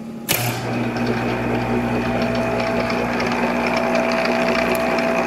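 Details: Monarch 10EE lathe during refurbishment, after the spindle drive fix: starts and settles into a steady mechanical hum with a constant gear whine; source of the gear noise undetermined.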